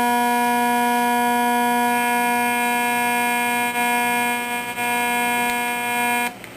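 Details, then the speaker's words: Zenith Trans Oceanic Royal 3000-1 radio after repair and reassembly: steady harsh buzzing tone through the speaker, cutting off abruptly when the nearby LED flashlight is switched off; LED flashlight interference. "so there's noise sources here that's not one this is analog my flashlight my wonderful led flashlight isn't that special"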